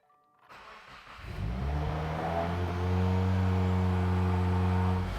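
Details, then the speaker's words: 2015+ Subaru WRX FA20 after replacing the noisy accessory drive belt idler pulley: starts cleanly and settles into a smooth steady drone holding even pitch under light revs, no squeal or chirp, normal running. "That sounds good."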